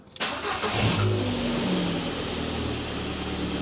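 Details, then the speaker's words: 2012 Ford Fiesta 1.2 Zetec petrol, started and left to tick over without revving right after an oil and filter change: catches quickly after a short crank and settles into a smooth, even idle, oil pressure light going straight out; normal start and idle. "Right, so I'm just going to fire it up and let it tick over, make sure the oil pressure light goes"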